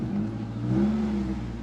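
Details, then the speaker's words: Mk1 Ford Focus estate, over 200k miles, on a road drive where a misfire is reported at 40-50 mph: engine pulls hard with a raspy puffing edge on revs. Bad exhaust blow near the flexi pipe; unclear if it causes the stutter. "definitely got quite a bad exhaust blow somewhere"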